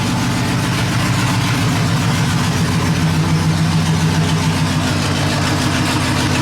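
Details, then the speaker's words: Truck after exhaust leak fixed, owner says it no longer sounds like his truck: even, deep V8 idle with steady low rumble, no ticking or puffing at the manifold, exhaust sealed. Normal idle. "Turn it off. I don't like how it sounds. I'm gonna miss people asking me, what's that noise?"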